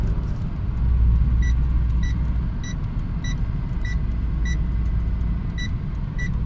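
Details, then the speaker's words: Mercedes W202 with M111 engine, blown head gasket after coolant experiments, engine boiling while driving: sharp, high cricket-like ticks about twice a second over a low driving rumble, detonation knock; the car stalled shortly after. "hear a detonation of dudes I heard a detonation I heard just detonation is such a cricket such a t t t m t t"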